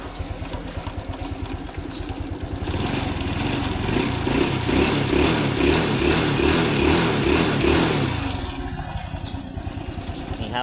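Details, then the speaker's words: Honda Wave 110i motorcycle idling and revving briefly: light metallic chain rattle, not loud, suspected slack timing chain; the cylinder was found holed, and a stray piece of rubber was found under the cover. "รู้สึกว่าจะมีเสียงโซ่ลินหย่อนครับอนี่ครับมีเสียงโซ่นิดนึงครับไม่ดังแรงนะครับ"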